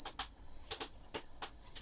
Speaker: вот слышите звук это на более быстрых оборотах ставим стандартные 78 и вот он писк такой не писк Ну свист на меньших оборотах его нету